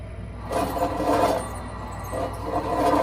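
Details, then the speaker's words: Mill City 500 gram coffee roaster (North TJ066): low motor hum with a rasping squeak and grinding about every 1.5 seconds as the drum turns, from worn front and back drum bearings; drum also touching because the bearing screws are loosened. "But you can hear the squeaking noise that's going on. It's on both the front and the back bearings."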